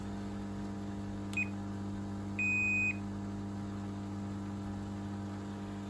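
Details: Dyson Contrarotator CR01 washing machine under restoration, element not heating, after fault F13 and continuous draining: over a steady electrical hum, one short high beep then a longer held beep a second later; fault beeping.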